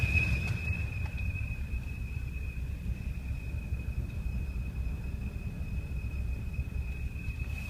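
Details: 2007 BMW 328i automatic: thin, steady high whistle over low rumble while decelerating and at a stop, randomly, with pitch changing with rpm and speed and gone after restart; not belt. Commenters' fixes point to a cracked valve cover or leaking valve cover gasket.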